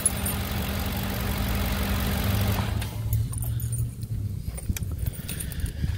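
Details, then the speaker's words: 2008 Ford Expedition 5.4L 3V V8 idling after timing chain and cam phaser job (VCT solenoids replaced earlier); steady smooth even hum, no timing chain slap or cam phaser clicking, no diesel-like ticking; normal idle. "as you can hear it's a lot smoother sounding you don't hear that chain the timing chain slapping around"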